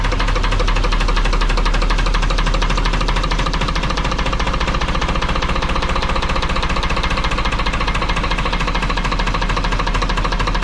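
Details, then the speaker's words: Lister HW3 three-cylinder diesel narrowboat engine, freshly serviced, run on a little throttle with the rocker gear exposed; loud, rapid valve-gear clatter over a deep, steady, even thump. Normal running. "i've turned it off again a bit noisy that wouldn't it but yeah you get to see the valve gear and the rocker gear working away there yes nice to see but it's all good"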